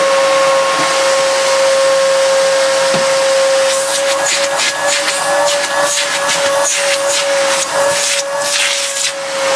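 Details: Miele S2111 vacuum after repair of a broken solder joint: clean, steady motor whine over strong airflow hiss with occasional pickup rattles; runs smoothly and works very well.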